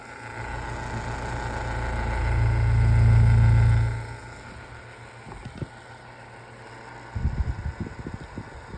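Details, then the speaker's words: 10-inch GE General Electric strap fan running, shaking noticeably: loud low electrical buzz swells over the fan hum then dies away, intermittent; owner suspects plastic motor housing causes the motor buzzing. "I guess the buzzing sound. And I think that's because the motor housing is plastic. So that's why it's making a buzzing sound."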